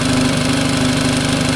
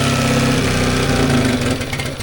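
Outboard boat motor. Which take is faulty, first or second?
second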